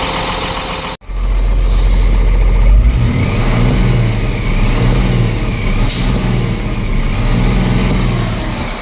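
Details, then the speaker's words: Ford F750 Cummins diesel that sat for years, running after first-start fuel work with an electric pump bypass; air pressure pops off once, then a steady, even, smooth low diesel rumble at a healthy idle. "Well, she certainly sounds good now, don't she? What I love about the old Cummins motors, they can sit and sit and they don't take a lot."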